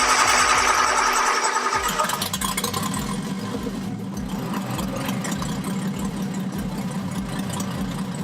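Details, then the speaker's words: Turbocharged car, first start after the turbo was disassembled and cleaned and the exhaust refitted: it catches and settles into idle, but the rhythm stumbles now and then. The owner suspects a spark plug misfiring or not firing; not confirmed. "have a feeling that one of the plugs is misfiring or snot firing at all it'll idle good and then all sudden it'll select like a Miss"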